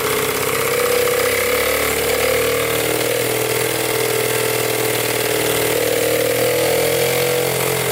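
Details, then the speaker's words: 1977 Honda Z50 single-cylinder after setting timing and valves to spec and plugging throttle-body air leak: fires up and settles into steady, even idle with no knocks or misses; healthy idle, though oil leaks near flywheel. "timing's on valves are in spec oh all right she fired up i guess i had too much air in the system so i plugged up the throttle body right there and fire right up"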